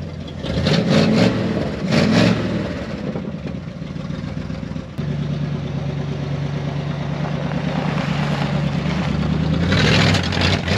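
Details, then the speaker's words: 1974 Dodge W100 Power Wagon V8 first run after 41 years parked: rough idle, pops and backfires on light throttle; owner suspects a massive vacuum leak, possibly from the brake booster. "You can hear when I tried to give it just a little bit of throttle, popping and backfiring. But it runs and it sounds pretty good."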